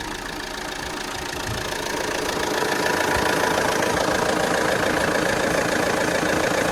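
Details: Alfa Romeo Giulietta Veloce at idle with air conditioning switched on: steady even idle that swells slightly as the load comes on, no knocks or squeals; compressor clutch engaged and turning normally.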